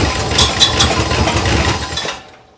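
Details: 1962 big-block Chrysler, first start after long storage, no oil pressure built yet, slight lifter noise: cold engine fires unevenly and loudly about two seconds then dies, then smokes; running rough, cause not yet known.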